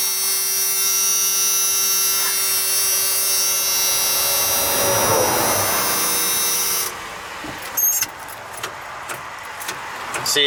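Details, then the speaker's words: OBS Ford 7.3 IDI diesel truck on a road trip, key turned: high steady electric whine with no engine turning over, then silence and clicks; no-crank, owner suspects the starter again, unconfirmed. "it's just not like turning over it just sounds like it's like it's the starter again like this is literally exactly what happened before"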